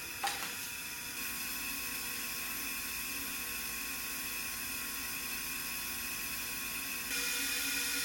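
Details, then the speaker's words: 1974 Jaguar XKE E-Type Series 3 V12 under leak-down test on cylinder 4A; steady sharp hiss of air escaping out the exhaust side, a leaking exhaust valve pointing to a cylinder head problem; car also shows zero oil pressure. "You can hear the air coming out of the exhaust on the other side. I'm hearing if I put a rag over the exhaust, and you can feel the air coming out of it anyway, as well as hear it."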